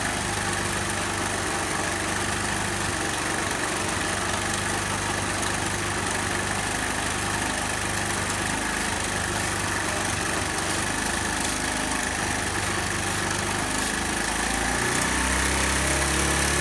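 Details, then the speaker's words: Warm 1981 Honda C70 Passport single-cylinder idling; short sprays of carb cleaner around the intake manifold where it meets the cylinder head make the idle speed up, revealing an intake manifold air leak. "and then I'll go around the other side of the bike and squirt some carb cleaner choking carb cleaner into this area and you'll hear that the idle increases"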